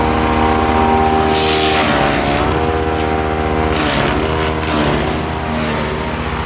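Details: Ducar woodchipper with a single-cylinder engine, chipping material. Steady loud drone under load with brief dips and recoveries as material feeds in, runs strong and even, healthy.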